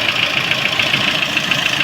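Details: Lada Priora petrol engine at idle: a sharp, regular metallic tapping of about seven beats a second. The oil pan was removed, camshafts were replaced and the lifters repaired with no change, and mechanics can't identify it; apparently it is not a piston.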